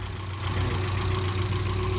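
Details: 1992 Mazda Miata (NA) engine, freshly rebuilt with new seals and fluids, idling while warming up and burping the cooling system: steady, even low idle with a smooth, unbroken rumble, no knocks or misses; normal idle.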